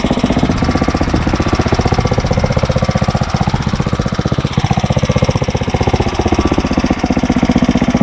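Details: Briggs & Stratton 900 series engine, fuel valve shut to run dry: steady, even single-cylinder putter at constant speed with no misses or knocks; running normally.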